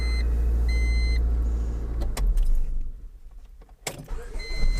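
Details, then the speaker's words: 2000 Honda Civic LX, D16 engine, automatic, after a starter replacement: crisp, short crank bursts catch quickly between warning chimes with no grinding or clicking; the new starter engages cleanly. "Boom. Sounded much better than it ever has."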